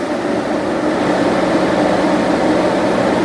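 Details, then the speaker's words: 15-inch Silverado PWM radiator fan in a BurnDown/Warr Performance shroud at 93% duty cycle, effectively max (96% switches it off): loud, steady rushing whoosh, no ticking or grinding; normal full-speed running, readings around 22–23, 1200 at the outer edges. "So let's bump this thing up to 93. I found that 95 is maxed out on this thing. 96 turns it off, but 93 to 95 didn't even give me any change. You can already hear how much louder."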